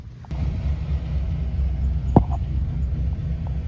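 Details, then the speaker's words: 2008 Chevy Silverado 4x4 5.3 V8, cold start after low-oil-pressure fix (new pickup tube O-ring, modified relief valve): settles into a low steady idle about 1,000 rpm, even firing, no ticking or knock; oil pressure 42–45, good. "Cold start. About 1,000 right there. It's about 45-ish, 42-ish. That's good right there."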